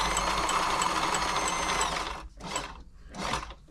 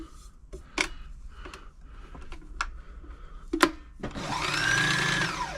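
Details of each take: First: Frister & Rossmann 904 sewing machine before service, run with needle removed: steady fast light ticking over even running hum, persisting without needle, so tapping is put down to lack of lubrication. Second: Frister & Rossmann 904 sewing machine during service, start mechanism rubber checked and oiled: after handling clicks the motor spins up to a brief, even whir and settles cleanly; runs free and healthy.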